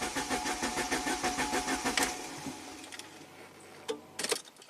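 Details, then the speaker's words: 1993 Saab 9000 CSE Turbo with water-flooded engine computer, power restored: even starter cranking about three pulses a second that never fires; erratic crankshaft position signal, fuse blew, failed ECM. "so everything's messed up still even with the power restored to the engine computer"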